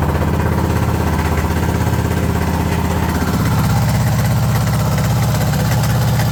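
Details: Suzuki DR650 Dakar SP41B single-cylinder motorcycle idling with a lumpy, uneven beat and a clattery mechanical rattle on top; owner unsure of the cause.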